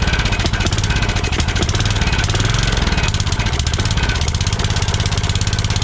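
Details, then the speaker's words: Kohler Courage 20 hp on a Craftsman DYT4000, running on carb spray to check for bottom-end noise: steady, even thumping at fast idle with no knocking or rattle. It is not yet drawing fuel from the tank. Normal running. "sounds pretty good still never drew anything up from the tank which is fine"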